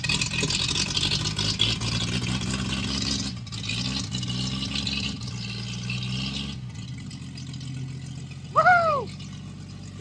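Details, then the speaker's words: 1937 Chevy Coupe original Stovebolt 216 inline-six, first start after decades, choke adjusted, no coolant yet, oil pressure rising, a little smoke; steady low even idle, no misses or knocks, happy once warmed. Normal idle. "Just had to mess with the choke a little bit and once it warmed up it pretty happy."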